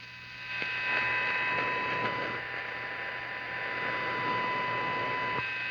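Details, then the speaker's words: Olympic tube AM/FM combo tuner with silver mica disease in IF transformers, after partial FM alignment: steady hiss and faint hum with no station; AM has lost its gain, pending IF capacitor repair. "let's see well where did all our am gain go"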